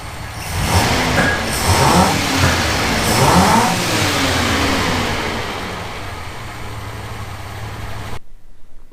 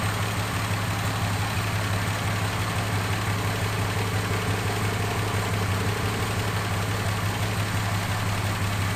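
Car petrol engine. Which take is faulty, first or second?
first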